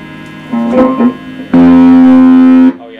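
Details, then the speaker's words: Fender Blues Junior valve guitar amp with newly fitted valves and the speaker ruled out: guitar notes come out harsh and fuzzy, with the bass badly broken up. "so bass notes horrible distortion okay that sounds really nasty"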